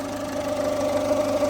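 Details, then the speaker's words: Ford Fiesta warmed up, noise only at idle, stops when revved: near belts, constant slightly wavering whine over engine hum; owner suspects tensioner or idler on timing/belts; idle noise from belt area, unconfirmed. "only on idle so if you rev it move the car completely stops so my suspicion is it's going to be a tensioner idler or something on the timing"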